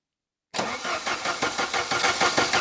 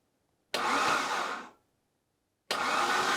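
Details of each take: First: 1980s Saab 900 Turbo Commander, unstarted for 10+ years under a tarp, fuel possibly not yet at injectors: even starter cranking about six pulses a second with no firing; crank no start because ignition module was not fitted. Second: 1980s Saab 900 Turbo Commander, parked running 10+ years ago, first turnover with spark plugs removed: two bursts of fast smooth starter whirring without compression pulses or resistance; engine turns freely, not seized.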